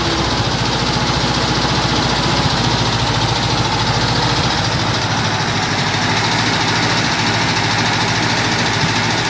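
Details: Cox (VW Beetle) air-cooled engine: loud busy idle with rough uneven rattle and thrash over the beat; abnormal engine noise, cause not pinned down.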